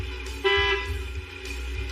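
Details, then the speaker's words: 1955 Pontiac revival: with the engine idling, the horn gives one short, thin, feeble honk barely above the engine; it works but sounds weak. "Horn kind of works. It's pretty pitiful."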